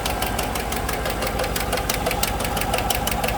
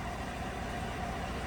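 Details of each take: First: 2015 GMC Sierra 1500 Denali 6.2L V8 idling with a sharp, steady tick from the passenger side, not missing; cause a bent and broken number 6 intake pushrod. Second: 2015 GMC Sierra 1500 Denali 6.2L V8 idling after repairing a tick caused by a bent, broken number 6 intake pushrod: a smooth, even low rumble with no tapping, no misfires, and normal O2 sensor switching.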